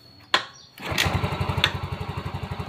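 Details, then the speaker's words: Yamaha Mio M3 fuel-injected scooter that dies when throttle is opened; after charging battery it cranks once, catches and idles evenly; normal start, though battery later found failing and due for replacement. "hiupnya normal kemudian kita cek kita cek pengisian"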